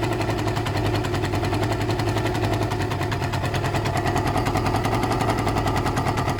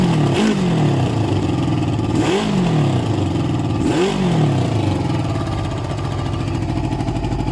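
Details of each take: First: Suzuki ZL600 Eliminator twin idling off choke after carb work: fast sharp ticking puff in time with idle, crisper than normal exhaust; air leak at the exhaust pipes. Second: Suzuki ZL600 Eliminator after carb cleaning and balancing, running with no choke: three sharp throttle blips, revs climbing and falling cleanly with no stumble or bog; carbs still likely need upjetting; clean throttle response.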